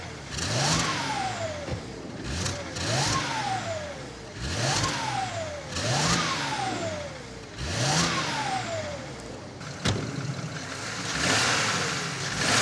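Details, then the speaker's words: BMW 335i wagon, N54, new quiet sleeper exhaust (325 stock system with 335 front section), on a drive: clean pulls through rising rev sweeps, smooth shifts, muted exhaust, no misfire or drone. "well i gotta say i asked for something quiet and something quiet i have made"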